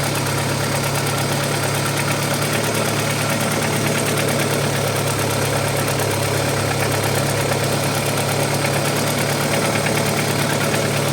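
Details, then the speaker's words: Audi 80 B4 2.0 petrol, cold idle after oil pressure gauge fitted and air lock cleared; much quieter than before, when it clattered like a diesel. Fast light ticking from the top of the engine, slightly uneven; owner suspects hydraulic lifters. "Он и работает потише намного. Потому что до этого прямо я запускал, он прямо тарабанил, как будто дизель работают. Ну вот сейчас проявляется."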